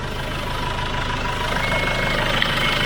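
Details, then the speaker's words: SsangYong Rexton Sports Khan diesel at idle: an even low thrum under a loud airy whoosh. It had lost power with blowing above 2,000 rpm; the owner feared the turbo, but an intake hose had come off. "แม้จะอยู่ในidlingmodeก็ยังมีอาการเสียงลมพัดเบาๆคล้ายเสียงลมพัดได้ยินไหมเสียงลมที่พัดออกมาดังมาก"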